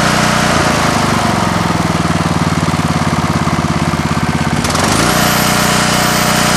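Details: Coleman Vertex 7850 W vertical generator, 15 hp Gentech Pro overhead-valve Briggs & Stratton, electric start, new battery, owned since 2000: catches and settles into an even drone with slight pulsing beat, then speeds up cleanly; normal running.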